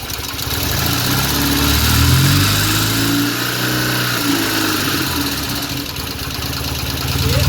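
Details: Restored 1975 Norton Commando Mk3 twin, Tri-spark ignition timing being checked: steady idle that picks up smoothly when blipped and settles back evenly, no knocks or misses; healthy.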